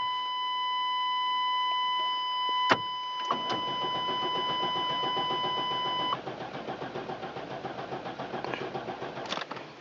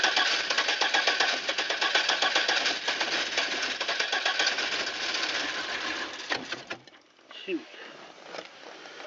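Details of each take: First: Safari van that sat unused, cranked at 14°F in wind: a steady chime, then the starter grinds at about four turns a second with only brief catches, so it cranks but will not start; ignition suspected, and the distributor cap was found corroded. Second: Safari van that would not start after sitting all winter at 14 degrees, now running after a new rotor and blow-drying wet plug wires: fast, fairly steady patter of about four beats a second; engine running, owner suspects an intake gasket leak.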